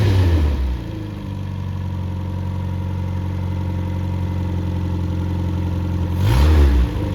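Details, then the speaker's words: Freshly rebuilt MG Midget/Triumph Spitfire 1500 engine FP42270UE, -5 degree day: balanced crank, new bearings, 270 cam, flat-top pistons, compression 175-185; steady even idle, smooth low hum, brief rev blip, no knocks or misses; normal idle. "so it's just like a light new engine and uh it runs like it and so I'm going to fire it up here in a minute"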